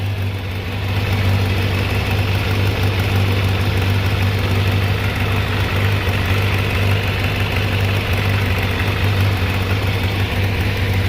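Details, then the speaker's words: Kawasaki ZZR600 inline-four, slightly warmed, off choke, after changing clogged fuel filter: steady, even low hum with no dips or hunting; smooth, stable normal idle, carbs stable. "oh yeah dude changing the filter actually makes the idle sound better boy that filter might have been pretty darn clogged up"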